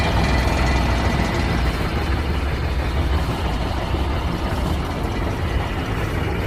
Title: semi truck won't start